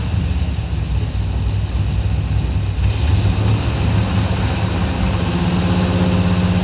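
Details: 1984 Chevy Silverado V8 with a slight miss, timing being adjusted: deep idle with a slightly uneven low beat just after a backfire when throttle was given; rough idle, backfire blamed on timing.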